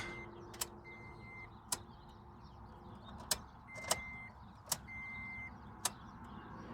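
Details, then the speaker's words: Car that won't start, key on, listening for fuel pump: only the chime and a few sharp clicks, no pump hum; pump not priming. "yeah I'm not hearing anything at all from the fuel pump so we'll see what's going on here"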